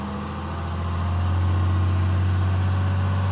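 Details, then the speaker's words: 2012 RAM diesel, VGT turbo (HE351) rebuilt, raised to 2000 rpm while parked: steady drone with a smooth even pitch, no whistle or surging; healthy. "turn there's no clues go ahead and raise it to 2000 rpm"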